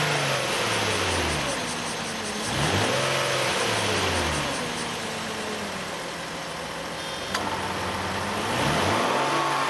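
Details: Nissan Elgrand E51 (ME51, 2008, 2.5L, about 90,000 km): engine revs rise and fall with a whirring tone that climbs and drops with speed. The odd noise appears once the AC compressor engages, from about 2000–2500 rpm. It has been present for about 3 years, is absent when the compressor is off, and its cause is unknown.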